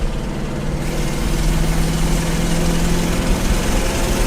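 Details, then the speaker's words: Long-abandoned Pontiac Catalina V8 driven under load on the road: a rough, uneven low rumble with a lumpy beat and vibration, as if running on fewer cylinders, now and then picking up another; engine misfire. "how can it run any worse I don't think it can oh I hear it almost picking up another cylinder"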